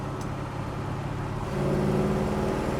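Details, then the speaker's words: 1966 Chevrolet Chevelle SS with 396 V8 on a road drive, throttle applied: deep, even rumble swelling and climbing in pitch over road noise; runs really nice with plenty of torque and power, smooth transmission shifts, rear end not moaning. "Car runs really nice. Give it some throttle and it goes. Plenty of torque, plenty of power."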